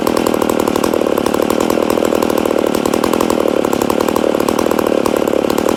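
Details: Rebuilt McCulloch Super Pro 80 chainsaw, first start after rebuild: steady, high, buzzy two-stroke run at fairly even revs, a little lean-sounding; owner suspects a slight air leak, probably a crank seal.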